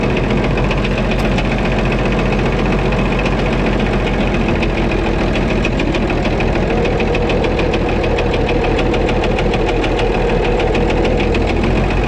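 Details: White 2-155 tractor engine idling after restart, sharp regular hammering knock on every firing with slight uneven miss; blow-by, exhaust and oil pressure normal, internal knock cause unclear, engine work planned.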